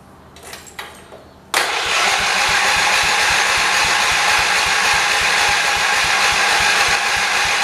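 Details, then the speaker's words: 1978 John Deere 208 lawn tractor after a head gasket replacement; the starter churns with an even chug about three times a second but the engine never catches, with a dry fuel line suggesting fuel starvation; a bad pump or tank issue is suspected. "so we're either not getting gas to the pump or the pump is bad or maybe there's a thing on the tank that's"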